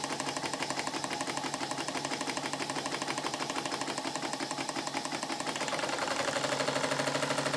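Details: Model steam engine on bench, second steam test after steam chest modifications: rapid, uneven chuffing about three beats a second, rattling like a machine gun; improved but still rough exhaust beat.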